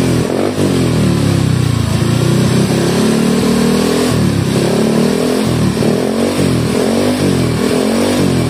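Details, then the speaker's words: Bored-up Honda Scoopy scooter, engine rough after owner's home rebuild, reassembled with the upper cam chain tensioner blade correctly seated against the chain: smooth, even running with no top-end rattle or tapping; normal after repair. "coba kita hidupin Nah suaranya halus lagi ya sekarang ya tuh halus lagi"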